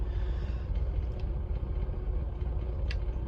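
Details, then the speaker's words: Austin Allegro warm, air filter off, after carburettor idle speed adjustment, about 2 minutes running: low steady idle, mostly smooth with only an occasional slight shudder, better than before; normal idle with slight shudder. "I might just turn it up slightly um cuz there's still a slight shutter um but I might actually leave it as it is this feels quite smooth actually uh there's only the odd little um Shake now and then but it's better than it was"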